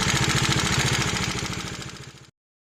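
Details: 2019 Bajaj Dominar 400 UG single-cylinder at idle: sharp, regular ticking knock (tappet noise). It was resolved under warranty by replacing the camshaft and rocker arm.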